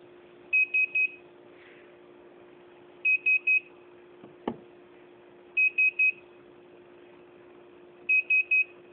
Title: Beeping noise, hitec A9